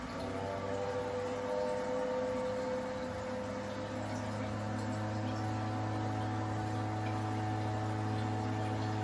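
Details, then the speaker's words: Toto toilet with a Korky brand fill valve: steady, deep, humming groan over rushing water while the tank refills, something probably resonating in the fill valve; fixed with plumbing grease. "since the sound was a steady deep tone it seemed that something was probably resonating in the fuel valve as the tank was pulling up"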